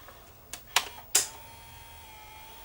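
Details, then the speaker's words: JVC HR-D130 early-1980s VCR: a few sharp plastic clicks over a faint motor whine during tape threading, which only threads one side. Caused by a broken tooth on one of the counter-rotating plastic threading gears, a common fault. "see I guarantee you the tooth is broken off of that gear it's only threading one side and we'll hear it clicking probably on the way back down"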